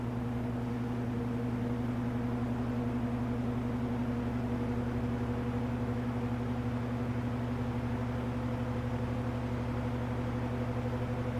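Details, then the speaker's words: 1963 GE F15W13 three-speed box fan, reversed to blow outward, at running RPM on low then medium; smooth, even low hum, steady motor tone, soft airflow, no rubbing or rattles: normal running. "Sounds like it's at its running RPM now. So, switch it to medium. It sounds like it's running about its normal medium RPM."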